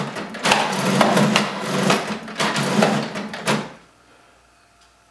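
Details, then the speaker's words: Kodak Hero 5.1 printer trying to print a photo on glossy photo paper at best quality after ten attempts: uneven bursts of whirring and clunking from the feed for about four seconds, then it stops; fails to feed and print. "that is a Kodak printer trying to print a photograph I have attempted this 10 times"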